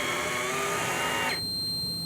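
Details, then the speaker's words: Daiwa electric fishing reel retrieving line with auto-stop programmed at 2 m from the rod tip: a steady, high motor whine cuts off abruptly after about 1.5 s, leaving faint tones, as the reel stops normally as programmed. "And watching that line counter, it's going to come up to the 2 metre mark and stop."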